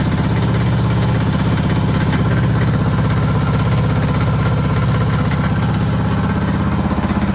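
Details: Suzuki DR650 Dakar SP41B single-cylinder at idle: a lumpy, uneven pulsing beat of roughly two a second, with an odd irregular rattle on top; cause unknown.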